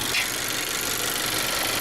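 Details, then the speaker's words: 2019 Honda Accord LX, over 100,000 miles, during coolant service, warmed past about 200°F so fan control on: steady airy whoosh, no ticking or grinding over quiet idle; both radiator fans working; normal radiator fan operation. "And that one is spinning, so we're good to go. Both fans are working."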